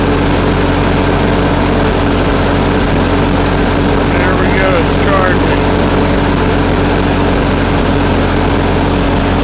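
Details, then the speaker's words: Ferguson TO-20 tractor with 12-volt conversion and new alternator, charging properly: steady, even engine drone with constant low hum, no knocks or misses; idling better than ever. "But it's working, charging, and it sounds like it's idling better than ever now with this."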